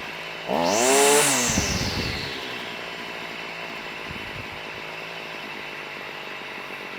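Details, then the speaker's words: Stihl FS38 two-stroke strimmer after carb tuning (mixture richened, idle and slow screws reset after prior tampering): sharp rev dropping back cleanly to a quiet, steady idle with no hunting or stalling; responsive, head not spinning. "there you go right don't sound half bad very"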